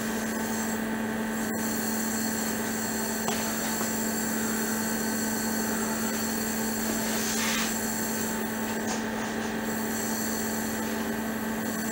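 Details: Steady electrical hum with a fine, restless crackle and fizz from cavitation forming on a heating element, driven at around 103,000 Hz.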